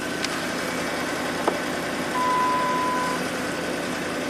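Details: 2003 Ford 5.4L V8 (called Expedition and Excursion), over 200,000 miles, running after a fuel pump circuit repair (P0231, no fuel pressure). Pump draws about 5 amps at 13 volts. Steady, even idle with soft regular pulse and no misses or knocks; normal idle.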